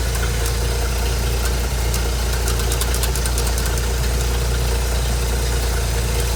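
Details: Ford inline six (possibly a 265) in a Hobart APU cart, sat 8+ years, running after a fuel line hookup; steady low even drone, no knocks or misses, healthy.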